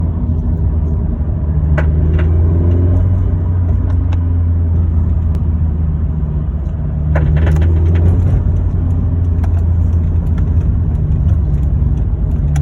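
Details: Toyota 86/Subaru BRZ, 80k miles, stock tune, 91 octane, TRD exhaust: intermittent creak under load in all gears at 2500-3300 rpm and quick pop in neutral when blipping; suspected loose exhaust hanger, torque rod or intake, undiagnosed.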